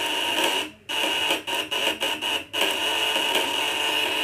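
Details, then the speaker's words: 1.5 kg device with spool coil and contact points (platina), on the 500 W setting with the bottom and top adjusters tightened for maximum output. Harsh steady buzz with a high whistle near 3 kHz that cuts out briefly several times. Normal operation at full output. "Nah, ini naik lagi, suaranya lebih melengking. 500-nya ini lebih maksimal."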